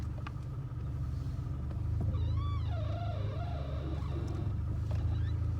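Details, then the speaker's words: 2001 Chrysler PT Cruiser, squeak began about a week earlier: wavering high squeak rises and falls for a couple of seconds over low engine rumble as the steering wheel turns, worse turning left than right; power steering pump ruled out. "Not so much when I go right, but when I go left. Hear that, everyone? That's the noise that I want to try and fix."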